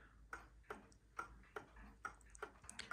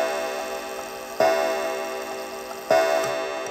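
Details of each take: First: Antique count-wheel kitchen/parlor clock out of beat, timer reading about minus 130 to plus 130 with much overswing: tick-tock near seventy a minute with unevenly spaced, limping ticks; fixed by leveling the clock, removing a shim. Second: Antique count-wheel kitchen clock, strike tripped manually by lifting the lever: eight clear, evenly spaced bell strikes over faint ticking until the lever drops into a deep count-wheel tooth; normal hour strike.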